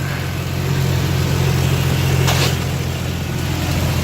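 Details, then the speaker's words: Jeep TJ after tightening loose track bar to about 60–70 ft-lb (40 did not fix it): steady low idle while wheel is turned, no more popping or clunking from the steering/front end. "going to turn the wheel again and there's no more noise but before this thing was moving so it was loose but we fixed it everything's good no more noise"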